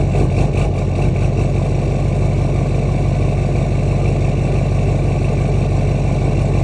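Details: LMM Duramax diesel with DPF deleted, EGR still fitted, Minimaxx tuner and 4" straight pipe. At 65°F+ ambient after sitting overnight it idles lumpy and loping, about two pulses a second. Fuel rail pressure holds 5.7-5.9 kpsi; it smooths after the first minute; cause unknown.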